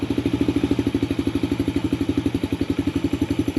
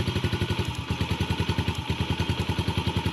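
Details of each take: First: 2019 Yamaha TTR50 after fixing intermittent cutting out: steady, even single-cylinder putt at about four beats a second with no misses or stumbles; idling cleanly. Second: 2019 Yamaha TTR50 idling: single-cylinder thumping about three beats a second with a brief stumble where it nearly cuts out; the spark plug boot end is arcing against the engine.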